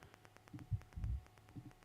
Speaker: you'll hear this weird little tapping noise, even if I'm not touching it. It's this weird feedback that it does. Sometimes it's worse, sometimes it doesn't happen that much.